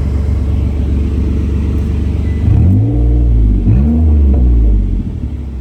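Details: 2008 Mitsubishi Outlander XLS petrol engine on cold start: deep rumble at idle, then two revs into a loud, coarse roar from an exhaust leak.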